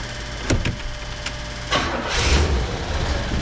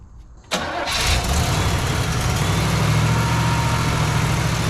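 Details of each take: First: Rusty, long-parked 1977 Oldsmobile 98 Regency cranks a couple of times, then catches and settles into a steady, even idle with no misses or knocks. It sounds normal and fuel delivery is fine. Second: Cold 1977 Oldsmobile 98 Regency V8, whose fuel pump was leaking, catches and settles into an uneven, loping, stumbling idle: a misfire caused by vacuum leaks, which seemed to stop misfiring once the leaks were fixed.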